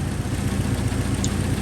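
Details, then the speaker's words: Subaru Impreza WRX STI after turbo and up-pipe replacement that cured an exhaust leak: steady, even idle with smooth low burble, no ticking or puffing. Normal idle. "Well, there she is running again. It sounds great actually. You used to be able to hear the awesome exhaust leak from in here. Now everything sounds nice."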